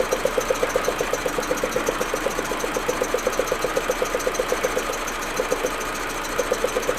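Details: Audi A4 1.8T at cold idle: sharp tick about four times a second that drops out and stumbles now and then; smooth once warm. Plugs, coils, ignition amplifier, vacuum hoses replaced; owner suspects injectors or carbon buildup, misfire cause unknown.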